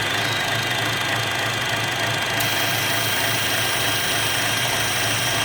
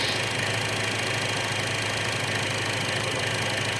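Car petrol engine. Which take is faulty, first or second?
first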